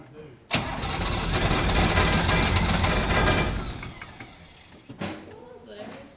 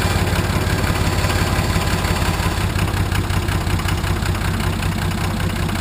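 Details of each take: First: 1980 International Harvester Travelall with Nissan 33SD turbo diesel, first start after oil, fuel and air filter service: catches and roars about three seconds with a little throttle, then sags and dies; air in the fuel system, may need the bleed screw cracked and more priming. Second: Nissan SD33 turbo diesel in a 1980 International Harvester Travelall, started after oil, fuel and air filter service: deep, steady, even idle clatter with no knock or misfire, sounding good; oil pressure present, possibly slightly rough from air after fuel filter change.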